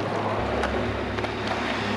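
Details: Artesian South Seas Spas 748L hot tub jet pump, after refill: kicks in with a swelling rush of water, then steady churn without grinding or squeal, running normally.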